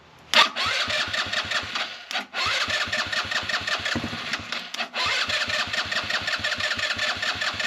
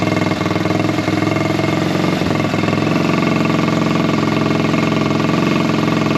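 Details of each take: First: Buggy with a carburettor air-setting problem; the air filter soaked with water was dried and refitted. The engine fires to a fast buzzy beat, then the revs drop out sharply twice before recovering. Misfiring; carb air/idle adjustment is suspected. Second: Buggy single-cylinder after air-filter foam work on the carburettor setup. A loud, steady, even beat takes revs without popping or backfiring, though it is slightly louder. Smooth, healthy running.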